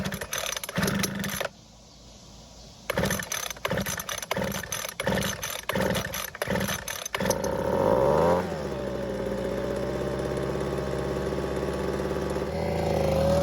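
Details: Ryobi two-stroke leaf blower that wouldn't start, after replacing the ignition coil (original had a damaged boot) and refueling, choke not fully off: starter pulls, then catches and settles into a steady high buzz rising slightly; starts and runs normally.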